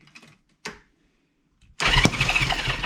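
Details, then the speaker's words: 1973 Honda CB350 after 18 years sitting outside, valves and timing adjusted, cranked with spark plug left out: a few clicks then uneven churn on the starter that never catches. "oh got to put the spark plug back in hang on I got it this time"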